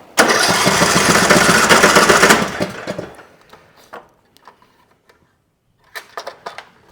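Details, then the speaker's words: Troy-Bilt Pony riding mower with weak 8.88 V battery, cranked on a jump pack, safety switch ruled out: about two seconds of rapid steady cranking, no catch; won't start, traced to stale ethanol fuel gumming the carburetor. "All right. So, it's not a safety switch keeping it from starting, so let's move on to next step, which is fuel."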